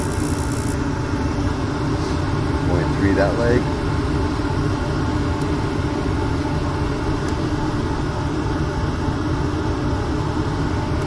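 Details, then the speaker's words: Old Lennox rooftop gas unit after replacing the inducer motor: steady, even low hum with burners roaring, no rattle or scrape, much quieter than the old motor; new inducer motor running normally. "give this new motor chance see what it does way quieter much much quieter"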